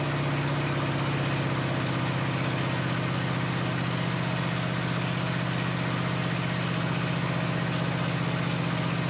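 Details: Flathead Ford 8BA V8 from an F1 pickup, first start after 12V conversion with new points, condenser, cap, rotor and coils, carburetor not rebuilt: steady, even low rumble with a smooth regular beat, no knocks or misses; normal idle.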